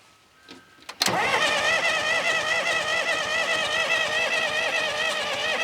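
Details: Diesel sawmill wheel loader sat 20 years: steady starter whine with uneven wavering beat, no catch or firing; sounds like it wants to start but they think no fuel is reaching the injection pump.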